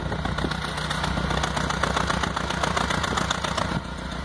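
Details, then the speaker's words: 2006 Stratus 2.0 with power loss and shaking, idling at the exhaust: uneven chuffs stumbling instead of a steady beat from a misfire; owner already did a tune-up, plugs and lab-serviced injectors, and ignition cables are suspected. "no sé si alcanzan a ver el temblor nos falla bastante del rey no tiene fuerza vamos al escape entonces ahora sí que ahí se escucha verdad bien fácil"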